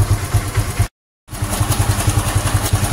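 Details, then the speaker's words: Honda Supra X 125 FI after fitting racing valve springs, idling: fast, even pulse with a harsh metallic rattle beyond the usual tolerable cam chain and injector ticking. Scary, intolerable mechanical noise inside the engine, suspected around the cam chain and tensioner. "Oke, Teman-teman. Ini sudah muncul ya, Teman-teman. Bisa didengarkan sendiri suaranya cukup menyeramkan dan sudah di tidak bisa ditoleransi."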